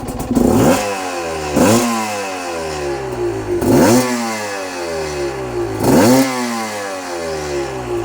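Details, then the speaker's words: Cheap Chinese two-stroke enduro bike on its original carburettor with revised jetting and newly fitted VForce reed valves, not yet ridden. Idle is slightly low. Four sharp throttle blips about two seconds apart; revs climb fast and drop straight back to idle. Crisp, instant response. "Like, from there, a little bit higher. Absolutely instant acceleration. Wow."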